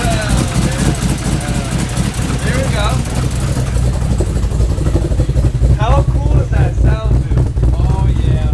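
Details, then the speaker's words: LS1 V8 in a Nissan Z32 with a big cam, first start, fuel nearly empty: a deep, choppy idle lope with uneven exhaust pulses and no knocks or ticks; a healthy big-cam V8. "alright guys so the LSE sounds amazing I'm still happy"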